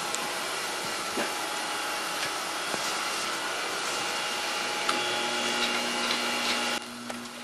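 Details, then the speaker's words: Grinding a bushing of O1 steel at about 60 Rockwell with an aluminum oxide ceramic mix wheel: a steady hissing grind with a faint tone. The wheel sounds like it is cutting harder than wanted, for uncertain reasons. Grinding wheel cutting hard. "The sound is not quite what I like in it, but that could be a couple reasons."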